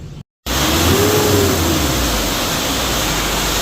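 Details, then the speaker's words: Mitsubishi L300 Euro 4 diesel after EGR valve, intake manifold and turbo cleaning with new air and fuel filters; revs rise smoothly from idle to a strong rev and hold steady with no misfire, knock or smoke. Healthy. "Okay nga toy, red mo nga toy. Red mo. Red natin. Ayos, walang usok."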